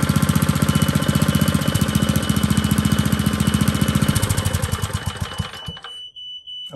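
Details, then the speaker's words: Steady shrill smoke alarm tone over an old Tecumseh four-stroke edger engine thumping about four times a second after carburetor adjustment; the alarm is triggered by engine exhaust. "that's the smoke alarm foreign that's enough of that"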